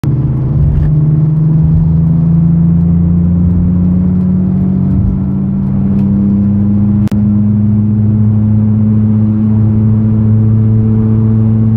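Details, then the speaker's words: Car raised with the wheel spun slowly by hand: quiet noise from a suspected worn left rear wheel bearing, louder at higher spin speed; while driving, a low drone rising with speed; gone after replacement. "Now you can hear the noise coming. It's very less because now the wheel is spinning very slow."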